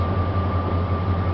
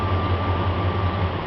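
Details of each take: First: 1999 Dodge Ram 1500 5.2 (318) V8, in for no-start and intermittent rough running, scope connected: deep steady idle rumble with even beat and faint whine, no stumble; running smooth for now. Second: 1999 Dodge Ram 1500 5.2 (318) V8: tapping/wiggling crank sensor wiring makes engine stumble and surge twice then die; crank signal drops out, coil misfires; suspected bad crank sensor with loose internal magnet.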